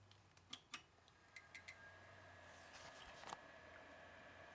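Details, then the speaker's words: Old thrift-find AMD PC with original cheap Antec power supply: a few clicks at power-on, then a steady high-pitched whine from the power supply with green standby light; the system still works. "I hear a whining noise and I have green standby"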